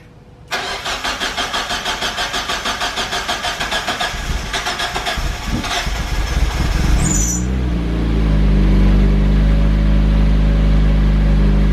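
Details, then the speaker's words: Turbocharged car, first start after opening up the TurboSmart manual boost controller (ball and spring) to fix a boost spike: about six seconds of even cranking pulses, roughly three and a half a second, before it catches and idles. Slow start, cause unknown. "go start it up do not pay attention to how long the startup takes i'm going to fix that"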